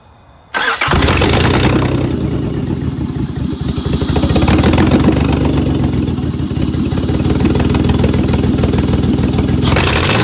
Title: 2003 Honda V6 3.5l, misfire on bank 1, P0301, P0302, P0303 and P1399